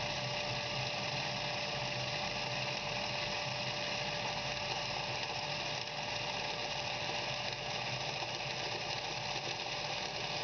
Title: Cavitation Dans une pompe